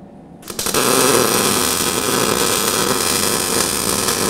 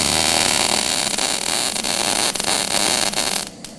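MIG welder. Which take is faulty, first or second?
second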